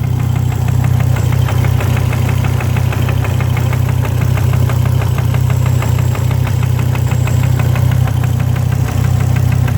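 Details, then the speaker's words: Volvo engine idling while being warmed up: evenly spaced knocking about three per second over a low idle rumble. The owner is unsure whether the gauge shows real low oil pressure; oil and water pumps to be changed. Cause unconfirmed. "So what I'm doing now, engine's knocking as you can hear."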